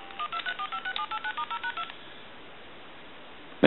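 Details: AT&T 530 Trimline telephone on a line analyzer, redial pressed to resend a number ending in two. Eleven quick, evenly spaced dual tones play out cleanly, then silence and a loud burst; redial dialing works normally.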